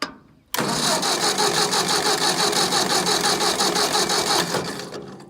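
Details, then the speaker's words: Ford 600 tractor stuck in the field with no spark, cranking after new ignition parts were installed and wired. About four seconds of rhythmic cranking at roughly three turns a second that never catches; no spark. "nothing well that sucks normally this thing fires right up that's how I know you know pretty much instantly that it's not plan D"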